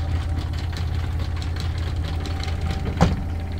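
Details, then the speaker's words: 2022 Rockwood fifth-wheel RV front-loading washer at high-speed spin: deep steady drone with light uneven rattling and sharper clacks from closet doors shaking from washer vibration, even when latched. "now we're getting the vibration again the doors both of them making noise and that is definitely high speed at this point both of these are actually making noise now so you can hear even with them latched"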